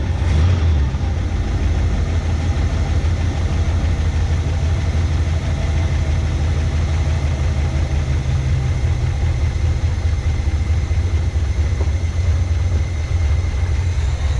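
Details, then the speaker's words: 1971 Chevy K10 4x4 pickup, small-block 350 V8, restarted after sitting about 10 years, choke on: slow, low, loping idle with an uneven beat; carburetor gasket dry-rotted and leaking; owner suspects the old gas causes the low rough idle. "It might be idling low right now due to the just because of that gas."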